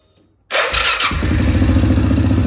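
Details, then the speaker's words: Suzuki KingQuad 750 ATV engine after two weeks of work, cardan shafts, plastics and many sensors still removed: starts surprisingly easily, catches cleanly and settles into a steady, even low putter with no knocks or misses; normal running. "Sunt foarte mulțumit că am pornit motorul și că se aude bine"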